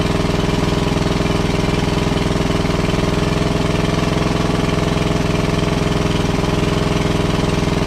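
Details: WWII Chore Horse 300-watt battery charging set, model CH1 395-5, original 1940-41 paint, after slight throttle-screw adjustment: steady, even single-cylinder beat about two and a half pops per second, no misses or knocks; runs fine, works great.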